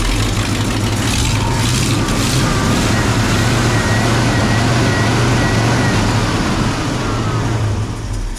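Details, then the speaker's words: 1968 Ford pickup ("Ole Red", called an F250 and also an F150) with a 360 FE V8: a deep, steady burble at an even idle with no knocks or misses, and only slight smoke at the rear. The engine is running healthy. "I think that engine is running really really good smoking a little bit at the back"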